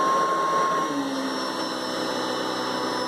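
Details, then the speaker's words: Hoover Decade 800 upright vacuum, long unused: steady roar with a brief thin tone near 1 kHz that drops away after a second; unidentified intermittent noise, owner unsure, may need investigating or may clear after warm-up running. "I don't know what that is, to be honest. So that might be something I have to look into again. Or it's possible to see that maybe just has to run because it was basically resting for a while."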